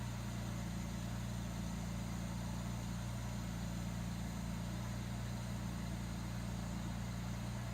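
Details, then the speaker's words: 1967 Jaguar Mark II straight-six, off the road 20+ years, now running with the kickdown set: a steady, even low rumble at about 950 rpm with no misses, knocks or hunting. Normal idle. "What's the RPM say right now? Right at like 9.5. Perfect. Wow, that sounds good!"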